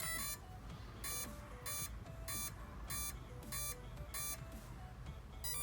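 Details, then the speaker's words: Spektrum Firma 160 ESC switched on with the power button only, before a factory reset: a repeating pattern of short high beeps about every half second to second. This is the normal power-on tone sequence. "right there that is the normal process that you're going to go through every single time you turn on your icle to get going right"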